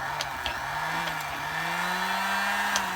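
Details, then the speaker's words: Vintage electric sewing machine motor with the belt removed, at full speed: a smooth hum climbing steadily in pitch as it spins up freely. The motor is strong; the machine itself barely turned with the belt on. "can hear that the motor's got the power."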